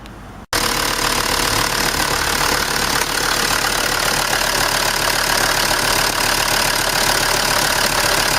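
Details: 2006 Land Rover Defender diesel, after intermittent no-start traced to a faulty new fuel filter body with misplaced air bleed valve: catches and settles into a steady, even idle with regular clatter, no stumbling; normal idle.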